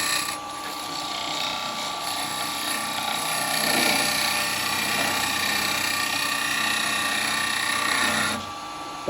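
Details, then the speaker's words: Bubinga bowl turned with carbide chisel: steady high scraping hiss with light hollow ring as the cut nears finish; wall sounds thin, cut slightly thinner than intended. "sounds a little bit thin there [Applause] we're going to stop and set another little it sounds a bit thin"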